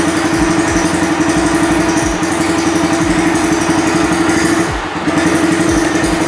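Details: Honda Sonic motorcycle after replacing a regulator/rectifier (kiprok) that failed after over a dozen years with a new larger-finned one: the single idles with a steady, even thump and a clear note, with no misfire or stumble, and runs normally.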